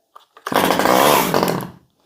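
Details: $20 Stihl 011AV chainsaw, a small two-stroke, started on choke: it catches and buzzes at high revs for over a second before cutting out. It fires cleanly and runs.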